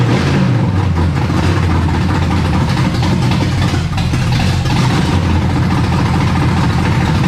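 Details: Chevrolet Camaro V8 first fired up after installing distributor cap, new battery and old plug wires, while setting the timing: deep, steady, even rumble with no misses, knocks or ticks at a fast idle; normal running.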